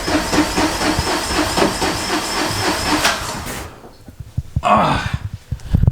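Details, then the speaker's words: Two-cylinder Russian car, first start after replacing the fuel lines and fixing a leaking hose: even cranking at about four beats a second that never smooths into an idle before cutting out. Rough start; carburetor suspected. "even after changing the fuel lines for some reason the car is still not working right so we thought it's the carburetor"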